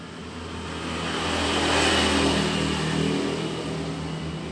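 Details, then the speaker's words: Jialing 85cc Chinese motorcycle, revving up and down: knock-like rattle that sounds like con-rod knock from outside, rattle disappears when clutch lever pulled; cause is loose clutch nut, fixed by tightening. "jadi masalahnya hanya sedikit saja ya kalau kita kedengaran tadinya kalau kita dengar dari luar itu seperti bunyi root atau stang seher ya jadi ini hanya bunyi biji deh"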